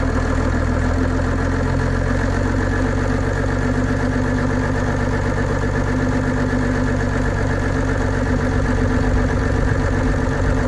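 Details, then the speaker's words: 1990 first-gen Dodge Cummins diesel idling with a steady, even rumble and clatter and no belt squeal, right after dielectric grease was dabbed on each side of the squeaky belt. "It's amazing that it just takes the squeak right away."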